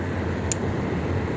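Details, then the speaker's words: Maspion CEF-20 exhaust fan running: even steady whoosh over a soft low rumble, no ticking or wobble; smooth, rumble not ear-ringing, suction adequate. "ya nggak apa-apa lah ya. Kan nggak apa-apa gitu, gemuruh gemuruh yang nggak terlalu mau bikin pengang telinga gitu."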